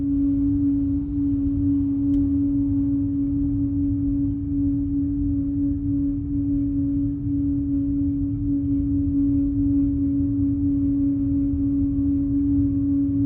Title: A6 humming noise